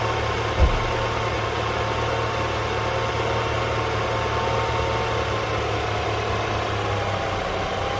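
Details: BMW N20/N26 engine started after a throttle body replacement, done to cure a noise the owner suspected came from the old throttle body: quick start with one brief thump, then a smooth, even idle with a steady low hum and no odd noises.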